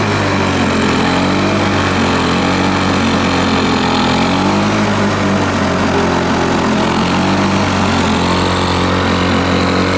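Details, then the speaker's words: Lawn Boy 4651 two-stroke mower run without its air filter: a steady high-revving buzz that sounds thin and hollow; owner thinks it runs a little lean from too much air and refits the old filter for resistance. "so I think that was the case running it without the earth rotate sounded a little bit lean in my opinion didn't sound a bit you know didn't say I'm very happy"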